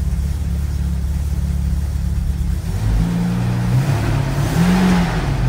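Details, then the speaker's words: Car with an automatic transmission that engages drive instantly: in reverse, the engine revs climb freely with almost no load and the car barely tries to move. Reverse is slipping. The owner doubts low fluid is the cause. "I mean it goes right in the drive you can see here here's reverse nothing graub up tries to move let's go to drive and moves instantly"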